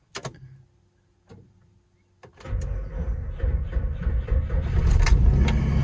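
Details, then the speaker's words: 1995 Nissan D21 truck, V6, automatic, with new battery and clean connections: a few short sluggish cranking bursts before it barely starts; slow cranking from a worn starter, later replaced. "This truck slowly started cranking slowly. I thought it might have been the battery, so I replaced the battery. And this is what we still get with a new battery."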